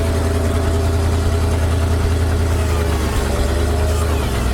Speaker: But this truck is running awesome. Sounds good.